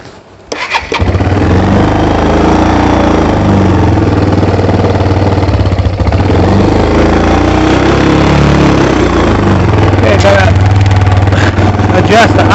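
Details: ATV after carburetor cleaning for bad gas, started on choke: quick crank, then single-cylinder catches and holds a steady, even thumping idle with no stumbles; runs healthy.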